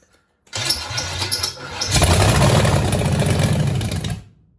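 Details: 1966 Chevelle small-block Chevy that sat for years, once thought locked up, after flooding and no-spark attempts: catches and runs lumpy and stumbling, not firing on all cylinders; misfire traced to three plug wires on wrong.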